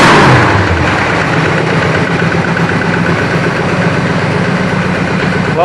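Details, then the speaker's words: 1965 Chrysler 300 convertible V8 after a worn-bushing distributor was replaced with an electronic ignition conversion and timing set at 10°; runs smooth and even with no misfire, revving cleanly where it used to stumble above 2500–3000 rpm. "I can tell you one thing. It does rev up a lot nicer. Uh before when I would bring the RPMs on this up past about 2500 3,000 RPM, uh the engine would start to stumble and not run smooth."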